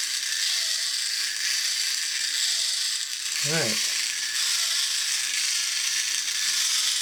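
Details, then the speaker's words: 2003 TTT reproduction of 1950s Radar Robot toy, motor previously jammed and freed, run on battery pack: light, fast ratcheting gear chatter with high whirr and brief clatter; sounds normal for this design. "that is running and it actually doesn't sound tooo bad uh for this design"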